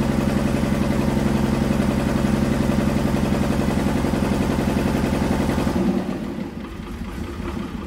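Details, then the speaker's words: International wheel loader diesel, sat 8 years, first run after pump work: heavy diesel clatter about 220 beats a minute with an uneven edge, a little smoky, then drops off; owner suspects injection timing slightly off. "no it runs but I think the timing's a little off"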